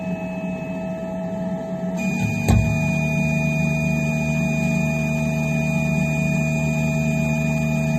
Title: Phrozen Sonic Mini 4k - Loud popping sound